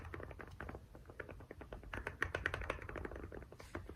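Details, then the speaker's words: Toyota/Lexus CT200h interior A/C blower fan motor: fast uneven ticking and rattling because the stator has moved about half a centimetre along its bearing housing; fixed by gluing it back. "This is what happens. This is where the actual noise is coming from, the actual stator, moving on the bearing housing, right?"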